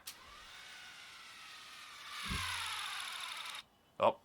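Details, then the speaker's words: MicroTouch Titanium head shaver, second unit, failed within two months of near-daily use: thin weak whir with uneven grinding and a click, light blinking; weak motor, seems like low battery but won't take a charge. "Now that sounds like a low battery, but it won't take a charge anymore."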